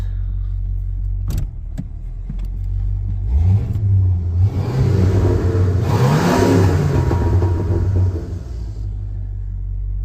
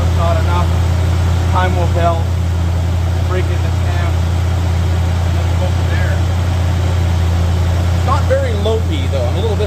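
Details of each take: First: 1985 Mercury Marquis police interceptor, 351 Windsor 5.8 V8 with variable venturi two-barrel carb, won't do a burnout even on gravel: muffled, quiet revs rising slowly and dropping without bark; restricted intake and exhaust, weak revving before the fix. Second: 1985 Mercury Marquis police interceptor 351 Windsor V8 with mild aftermarket cam, mufflers, timing 12° base/36° max: steady, even low idle rumble, no knocks or misses; not very lopey, slight blow-by; normal idle.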